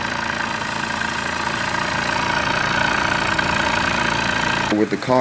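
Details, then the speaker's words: Honda Civic D16 four-cylinder at idle, stock exhaust, after fixing timing belt and misfire: smooth, steady even idle with no puffs or skipped beats; normal idle. "But now this thing is sounding nice. I don't hear any like puffs or any interruptions in the exhaust coming o"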